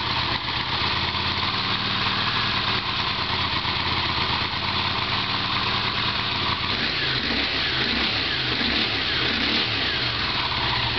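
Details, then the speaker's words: Honda CX500 motorcycle cold start, testing freshly rebuilt carburetors before sending them off: too much choke, engine catches and runs lumpy and uneven with a loud intake rush at the throttle body early on, then steadies once choke is closed. "that was the show too much you can hear the voice of this joke in the beginning of the intake of the throttle body you can hear it"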